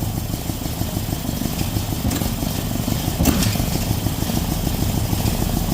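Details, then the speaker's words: Datsun on distributor after two coil-on-plug coils died. Choppy, uneven idle with a sharp intake-manifold pop halfway through, stumbling. Owner suspects timing is off; moving wires or injectors in software makes no difference and it always runs poorly. "why see that a so that tells me that it's it's off time but moving the wires around or even the injectors around in the software it makes no changes it always just seems to run poorly"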